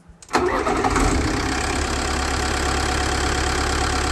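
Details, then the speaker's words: Mercedes 609D campervan diesel, after replacing a dead starter that gave no click: brief crank, then it catches at once and settles into a steady, even clatter at idle; normal start and idle. "after returning home we remove the starter engine replaced it with a new one and it fired right up so that was problem number one fixed"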